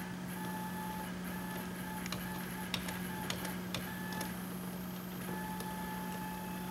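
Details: CNC plasma table stepper motor test in test mode after controller wiring: steady low hum, faint thin whine, soft ticks while gantry moves slowly; owner hopes motion profile and tuning are the cause, not confirmed.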